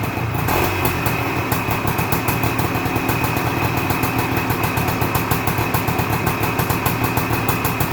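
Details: 1978 Suzuki PE250 two-stroke after year-and-a-half rebuild, first cold start: crisp regular popping at a quick even idle with no misfires or rattles; normal healthy idle.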